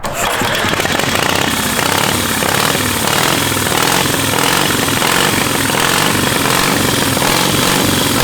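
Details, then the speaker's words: 700cc twin-cylinder military standard engine: steady even chugging at constant fast idle, no misfires or stumbles, no smoke; normal running. "Yeah, man. Sounds good. >> Sounds real good. >> Heck yeah."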